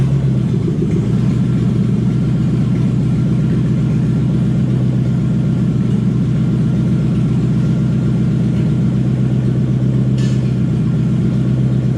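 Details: Toyota 1UZ V8 in a Ford Falcon after taking apart and cleaning a part with carb cleaner (owner suspects it was stuck open): deep, even, steady low idle rumble with no hunting or surging; normal idle.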